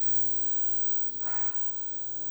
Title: Rega P1 buzz sound